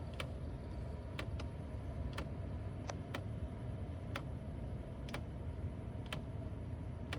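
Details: Mercedes CLK C209 (C-Class W203), 2004/06 with facelift interior: sharp light ticks about every second from behind the dash over quiet cabin hum, persisting after both footwell actuators replaced; cause unconfirmed.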